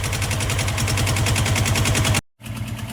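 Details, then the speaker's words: 1994 Ford Ranger (8-plug engine), first run after intake work and oil top-off: rough idle with a quick regular top-end tick about three per second, running "happy-ish"; cause unconfirmed, owner suspects bad MAP sensor. "Well, seems to be happy-ish. Little top-end noise."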